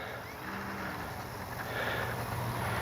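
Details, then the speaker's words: Great Planes Ryan STA RC plane, Spektrum Avian 4250-800Kv outrunner, 60A ESC, 4S pack, 13x6.5E prop, run-up before maiden flight. Motor hum with a coarse buzzing vibration in the cowling despite balanced prop and spinner; cause unconfirmed. "hear that vibration the prop is perfectly balanced Spinner's balanced everything is just there's a vibration in that cing"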